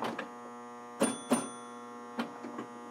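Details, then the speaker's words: Restored Gottlieb High Score electromechanical pinball machine at game start: constant low electrical buzz with scattered clicks; a coil locked on, caused by a stuck-closed leaf switch. "so we'll hit the game start button and listen you hear that that that is a that's a coil that's locked on um"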